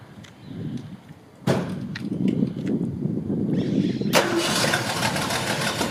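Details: 1965 Ford Mustang coupe, rebuilt 289 V8 with cam, 4bbl, electronic ignition, dual exhaust: brief crank, catches at once, settles into strong even idle with slightly lumpy cam beat; healthy, strong engine.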